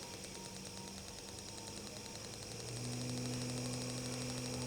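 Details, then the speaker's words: 12V DC 775 motor, driven by a PWM module as the potentiometer is turned up: a steady hum jumps to a higher, louder tone with more buzz and vibration from rotor and commutator friction; normal speed increase. "Getarannya juga bertambah. Suaranya juga sudah nampak agak muncul ya, kencang ya, dari gesekan yang dihasilkan oleh rotor dan komutatornya."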